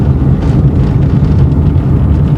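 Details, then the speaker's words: 2012 Chevrolet Corsa rolling slowly at about 20 km/h in fourth gear after the front-wheel clicking was fixed: low, even road and engine hum with no knocking or clicking from the front wheel. "praticamente que 20 por hora E aí e nenhum barulho nem nem um instalado nada"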